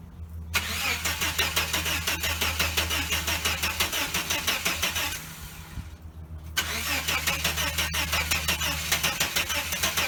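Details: 1989 Chevrolet S10 Blazer, after everything was reconnected: starter cranks at a steady rhythm, pauses, cranks again, never catches; owner wonders about needing new cords, cause unknown.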